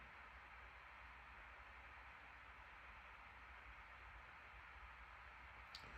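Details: 2021 MacBook Pro 14" M1 Max 32-core, CPU (Cinebench R23) and GPU (Path of Exile) at 100% load, fans about 4200–4250 rpm, around 94 °C: steady even airy rush, no ticking, rattle or wobble; normal full-load fan noise.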